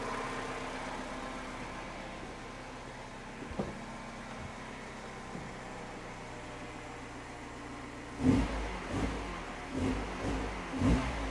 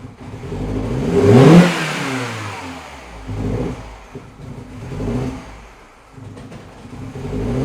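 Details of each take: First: Mini Cooper R56, cold engine after replacing the faulty coolant temperature sensor: quiet steady idle, then crisp throttle blips rising and falling cleanly with no stumble or popping; cold misfire fixed, temperature climbing normally. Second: Mini Cooper R56, cold engine, misfires and shakes when cold until about a mile or two: on throttle blips it revs up unevenly, stumbling and sputtering, nearly stalling; cold start misfire on throttle blips.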